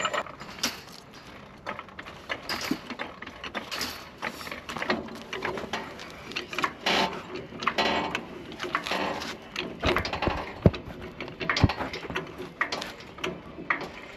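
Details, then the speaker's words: Truck's front wheel raised and spun by hand: rough grinding ratchet bursts about once a second from a broken hub. The vacuum-operated 4WD hub actuator was first suspected of not engaging, and its half-ground teeth are skipping; vacuum lines, actuator and hubs were tested with a vacuum pump. "here's your problem broken Hub so first thing we were worried about is like this Hub actuator isn't engaging"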